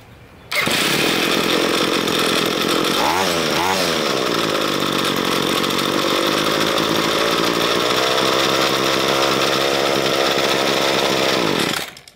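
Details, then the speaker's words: Two-stroke string trimmer with diaphragm carburetor cleaned with GumBuster, while adjusting the throttle plate idle speed: fast, buzzy, high-pitched idle that never settles; idle speed set too high. "and that'll be too fast"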